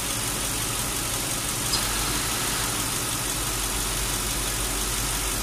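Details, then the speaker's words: Lincoln Town Car AC recharge after R-134 leaked from disuse and accumulator replaced: steady idle, AC on high, constant whirring hiss with no cycling or knocks as the compressor kicks in; running fine. "And the compressor's working, it's kicking in. You can hear it."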